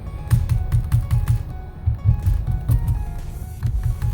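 Crisp, irregular key clicks with soft low thumps; the keyboard sits steady, with no rocking knock.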